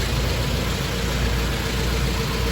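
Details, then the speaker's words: Toyota engine after restoration, first start with the coolant temperature sensor unplugged then reconnected: smooth even idle with steady low rumble, no knocks, misses or hunting; normal idle. "that actually sounds okay start that first time because uh coolant temperature sensor unplugged"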